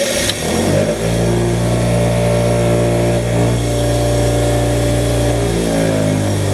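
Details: Restored $10 6-inch Tradesman bench grinder, not yet bolted down: motor spins up within a second to a steady, even hum, no grinding or rattle; runs fine.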